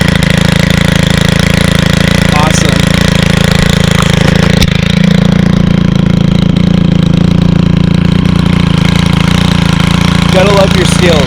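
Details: 2022 Stihl FS91 trimmer, 28cc 4-Mix engine, first start of season: loud steady buzz holding an even beat at idle without stumbling; healthy, clean running.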